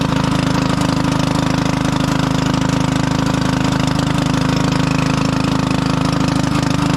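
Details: 1996 Craftsman LT1000 lawn tractor single-cylinder engine after long storage, on jump pack: harsh, loud fast popping with deep rumble, sounds like no muffler though one is fitted; cracked muffler letting exhaust escape.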